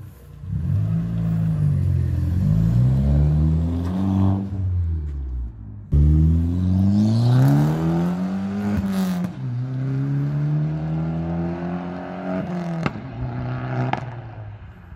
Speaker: let's have a listen to this because it sounds quite nice actually